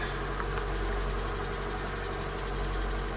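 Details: Car with newly fitted replacement starter, after an import-model starter mismatch: low, fairly even idle rumble with a soft uneven patter on top, settling into a steady idle; owner suspects a sticking valve that seems to be going away.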